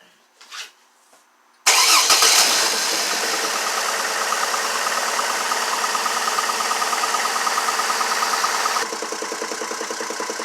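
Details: 2002 GMC Envoy 4.2 idling with an uneven, stumbling beat about three or four times a second; scan tool confirms constant cylinder 2 misfire.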